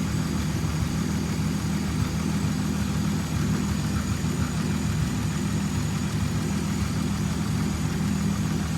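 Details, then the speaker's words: 1929 Chrysler Type 66 Speedster near end of rebuild, running after teething problems: low smooth idle, steady deep rumble, no knocks or stumbles; normal healthy idle. "With the engine running nice, the bonnet could be fitted and it actually started to look like a complete car."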